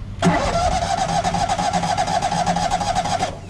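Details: Polaris Trailblazer 325 EFI after sitting too long. The starter cranks steadily, about four compressions a second, but it never catches; no fuel delivery, traced to the high-pressure fuel pump, with the old gas to be drained.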